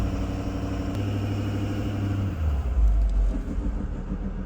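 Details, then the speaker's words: High-mileage Ford 6.7 Power Stroke diesel: deep rumble pulls under load, then sags and stumbles before recovering; EGR seen opening when it shouldn't, suspected from a misreading mass airflow sensor, unconfirmed. "Let me put it down under a load. Let me see if that makes any difference. I can't imagine. Ooh, this thing was... That was definitely a stumble."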